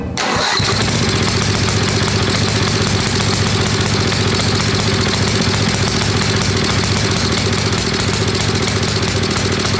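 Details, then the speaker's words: Old Craftsman 10hp Tecumseh riding mower, water-damaged engine just rebuilt, cold run-in on choke with fuel poured in: loud, uneven running with irregular exhaust popping; backfiring, source not yet found, owner wants heat in the motor. "all right we're getting a little bit of backfiring um not sure what that's coming from we need to get heat into the motor so we need to really even if it's running like crap it seems to be suck and Fuel"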